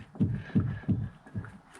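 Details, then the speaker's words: Vauxhall Corsa C with clunking steering, tie rod rocked by hand with gaiter clip removed: four dull low clunks about every third of a second; play at the inner joint from a worn left-hand steering rack shaft bush. "so if I just Wobble the desk a new listener watch can you hear and see that movement so that's in the inner joint"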